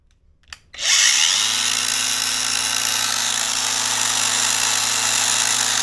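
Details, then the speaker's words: Parkside PWSA 20-Li C3 20V cordless angle grinder after swapping burned motor for 895 20,000 RPM 360 W motor, full speed: steady even whine with airy hiss; cuts well but runs slower than rated speed. "Okay, I did one test cut and it cuts well, but the speed, it seems, it is problematic. It is not fast enough as it should."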